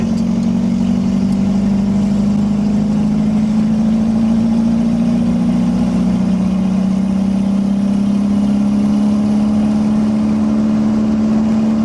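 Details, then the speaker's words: 1991 Toyota MR2 with turbo swap, open downpipe and no proper exhaust, on the interstate at about 3250 rpm and 65 mph on a hot day: loud, steady, deep drone drowning out speech. "this thing is so loud I'm gonna have to get an exhaust because it's freaking out doc you can't even hear me talk properly"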